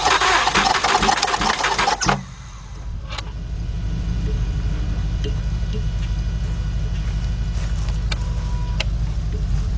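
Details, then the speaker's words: 2006/2007 Mazda 6 V6 auction car that cranks but won't start, during a compression check. Starter spins fast and uneven with no firing. No compression in the front three cylinders; the timing chain was felt to move. "I got nothing. I got no compression out of these front 3 cylinders."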